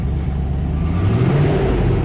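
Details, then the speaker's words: 1994 Range Rover V8: after a blip revs slide down slowly and evenly toward idle over a couple of seconds; normal, same as owner's own car. "and then it drops down slowly so should drop in a second there we are that's normal that's what mine does"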